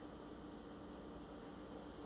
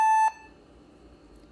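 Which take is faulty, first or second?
first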